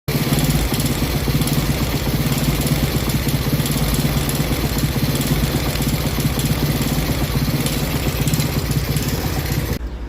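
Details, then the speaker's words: Honda Biz 125 (about 2006–2007) single, very noisy before full engine rebuild: steady idle with busy, rattly ticking over the beat; camshaft decompressor found eaten away, worn cam decompressor and bearing. "Ela era muito barulhento. Motor dela fiz inteiro. Aí quando desmontou o cabeçote e eu tirei o comando. Ops. Eh, eu vi que tinha comido o descompressor dela."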